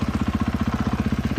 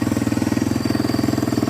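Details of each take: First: 2014 Husqvarna FC 450 bought not running, after throttle cable repair, tires set to 13 psi and chain tightened; steady, even thumping of about fourteen pulses a second with no misses, doesn't stall when put into gear; normal idle. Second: 2014 Husqvarna FC 450 that came in not running, with old fuel and a snapped throttle cable. First start-up after the cable fix, new oil and filter, exhaust still unrepaired: slow, loping, slightly uneven thump. Idle speed set too low, may need adjusting up.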